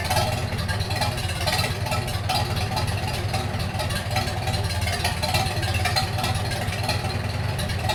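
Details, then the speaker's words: 1942 Farmall H tractor, hand-crank started in the garage after transmission teardown and repair of a scraping/screeching noise and hard reverse shifting, carburetor not yet adjusted: low, even four-cylinder chug holding steady, no knocks or misses; normal running. "Well, it runs pretty good for not even adjusting the carburetor. Can't go wrong with that."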